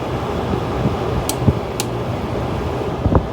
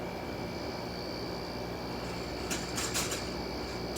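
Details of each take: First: Window air conditioner with a rotary compressor: a steady low hum with an even fan rush and a few light clicks. The compressor and fan are running smoothly; a vibrating cage was noted. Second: Window air conditioner running: steady fan hum with tonal drone, then brief buzzy rattles; the fan cage is vibrating, suspected, not confirmed.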